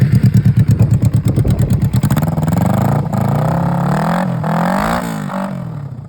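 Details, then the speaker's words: Suzuki/Kawasaki motor-swap motorcycle, running test without exhaust, pipes only lightly tacked, not choked: even, loud firing pulses at idle, then clean, quick blips up the rev range and back, no miss or clatter; runs good. "I didn't uh choke them up. But yeah, she runs good."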